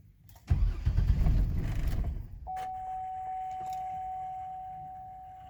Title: No start